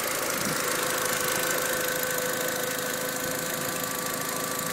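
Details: VW Jetta mk4 1.8T idling: light, fairly even clicking about three per second over a smooth idle; source of engine ticking unknown.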